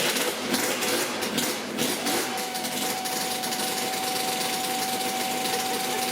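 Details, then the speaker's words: Yamaha RZ350 two-stroke project bike at idle: steady high screeching squeal from a dry mechanical tachometer in the gauge pod. "but I think I need to take this gauge pod off and fix this screeching tachometer it should start up this time okay here we go"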